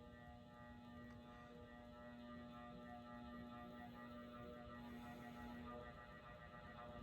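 Quiet, steady low buzz with a row of overtones that never changes; a solid-state speed control is making the fan motor hum.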